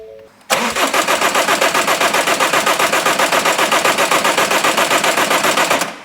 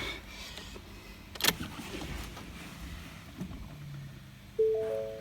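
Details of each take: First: Ford Mondeo Mk5 2.0 diesel that cut out and wouldn't restart, cranked after the third fuel prime with a low fuel pressure warning: steady even cranking, about four turns per second for five seconds, without firing; air still in the fuel system. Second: Ford Mondeo Mk5 2.0 diesel after repair of a broken high-pressure fuel pump shaft, ignition on: a brief electric whirr rises and fades as the fuel pump primes normally, with a low fuel pressure warning showing from air still in the system.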